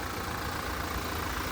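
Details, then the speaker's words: 2019 Toyota Prado GXL diesel, about 65,000 km, full dealer service history, heard under the bonnet: smooth, even tick-over, steady low rumble, no knocks, rattles or squeals; healthy idle. "and as we listen to it then imagine Knox rattles and squeals it's got diesel motor ticking over nicely"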